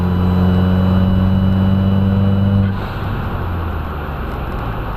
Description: After installing 2J FMIC have a trumpet noise when full throttle once boost kicks in higher than 8+ psi its there.